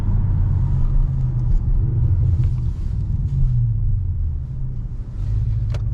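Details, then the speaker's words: Audi RS7 after cylinder 5 misfire fix, hard acceleration in manual mode: deep steady rumble pulling strongly with no stumble or popping; earlier the check engine light flashed on cold hard pulls, now no issues. "it's doing pretty good i haven't had any issues manual um or sport"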